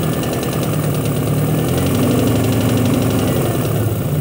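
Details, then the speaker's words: Honda petrol engine just above idle with a light steady tapping, about four taps a second; valve lash adjustment did not cure it, and a faulty knock sensor is suspected, setting a knock code and disabling VTEC. Tapping fades at higher rpm. "this is the tapping noise this step most likely coming from ignition timing not right it could be from out so weak compression in one cylinder valve prm's has been done to do that again and it's an idle only as soon as this goes little higher it goes away"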